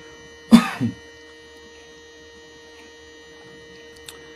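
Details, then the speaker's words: Bench-tested non-ASR throttle body actuator from a Mercedes E320, powered on: faint, steady electrical hum with no rattle or buzz, a healthy sound that stops when power is cut; unit holds idle position, judged not the cause of idle issues. "you hear this huming sound this is a nice healthy sound if I shut it down you will hear that there is no more noise"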